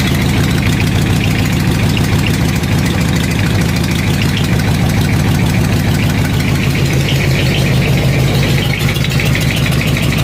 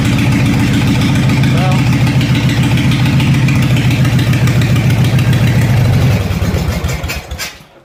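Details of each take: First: Craftsman riding mower with newly welded dual exhaust and homemade baffles, idling: sharp, uneven puffing tick on the exhaust beat from slight exhaust leaks still to be found. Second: Craftsman 14 hp riding mower with homemade dual exhaust and baffles, clutch safety switch bypassed: loud, even, deep exhaust beat at idle, about 3–4 pulses a second with no miss, then a clean shutdown; normal running.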